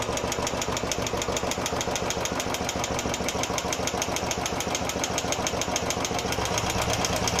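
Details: Royal Enfield Classic 350 single-cylinder at idle. Tick noise first appeared about 20 km after the first service and returned after another 150 km. A quick, even tik-tik rides on each firing, about six per second; loose tappets are suspected, not confirmed.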